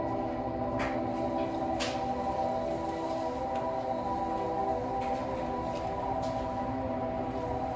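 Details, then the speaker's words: 2021 Honda Accord Hybrid in electric vehicle mode, reversing out of a garage: steady, layered synthetic hum from the Acoustic Vehicle Alert System, loud in the enclosed space and unchanging while creeping backward; louder in reverse than drive; working normally. "It's completely in electric vehicle mode. I'm gonna put it in drive so you guys could hear it in drive. It's definitely louder in reverse for some reason."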